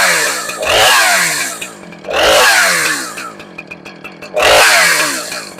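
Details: Husqvarna 455 Rancher chainsaw after replacing the clutch, clutch drum, drum bearing and 20-inch guide bar. It blips cleanly to a high scream three times and returns to a steady idle: normal running.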